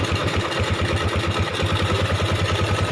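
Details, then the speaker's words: 2008 Yamaha Jupiter MX 135cc after engine teardown and cleaning: steady idle with airy hollow intake rush on top; that noise is from the air filter rubber being removed. "Itu yang bunyi-bunyi, dia punya karet filter dilepas bosku."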